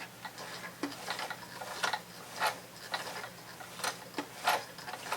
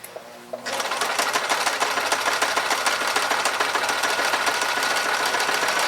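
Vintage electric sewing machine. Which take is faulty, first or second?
first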